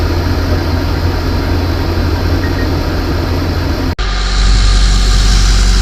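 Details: Van idling after a water pump replacement during the coolant flush and bubble purge, engine heating up. Even low thrum at a steady idle, no ticking or misfires, with a short break; idling normally.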